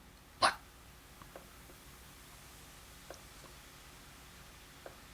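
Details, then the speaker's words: Realistic LAB-420 turntable, long stored, running at 33 rpm: faint light ticks about every 1.8 seconds, once per platter turn, at one spot only; something catching once per revolution. "but I do have a noise I don't know if you guys can hear that noise it's it's pretty annoying it's only at one spot"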